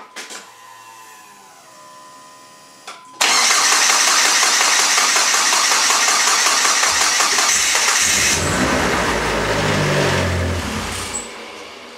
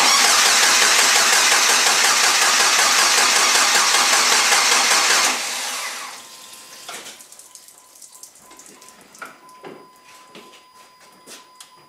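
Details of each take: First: Dodge SRT-4 (built bottom end and head, AGP Zeta 2.8 turbo, built stage 3 transmission) started for the first time after rebuild; brief starter whirr, catches instantly and runs strong with a clean rev and even settle, normal start and running. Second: Cranking with harsh, loud sputter for about five seconds, then near silence as the engine dies; first start of a rebuilt 500hp SRT-4 (built bottom end and head, AGP Zeta 2.8 turbo) after adding oil and coolant, fails because the fuel feed line to the regulator was disconnected.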